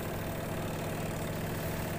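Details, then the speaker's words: Washing machine spin dryer after fix, drain strainer cleared and grease applied: steady even hum with low drone, no wobble or helicopter-like thumping; normal spin. "kita putar timer pengering dan hasilnya seperti ini teman-teman sekarang udah halus enggak kayak helikopter lagi"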